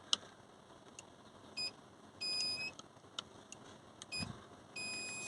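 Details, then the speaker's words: Volkswagen Crafter (same as Mercedes Sprinter) with gear-selector fault flicking reverse lights on when shifting second to first: high, clear parking-sensor beeps as reverse switch triggers; reverse parking sensor beep. "It's always give that little beep as I'm putting it from second to first, because you can hear the reverse sensors coming on."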